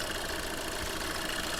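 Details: Skoda Fabia diesel with 11,397 km shown, check-engine light on, stable rpm, cold start: rough, dense knocking chatter over the idle, engine blow-by from worn piston rings; no smoke at idle, smoke when revved.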